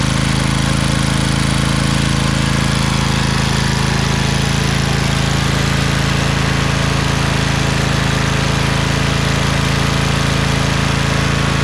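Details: Craftsman LT2000 lawn tractor repowered with a Briggs 20HP Intek V-twin, owner suspects a blown gasket. After about 10 minutes under PTO load: smooth, constant drone, no misses, knocks or ticking, no smoke. Normal running.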